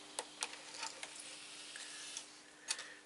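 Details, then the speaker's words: Technics SL-PG480A CD player: quiet irregular clicks and short whirs as the laser pickup shuttles back and forth with no steady spin hum; disc not rotating, mechanism fault suspected. "I can hear the heads move back and forth trying to read the CD but since the CD is not uh running um yeah there's of course it won't disc discover a dis let's say so yes there's a problem with the mechanism"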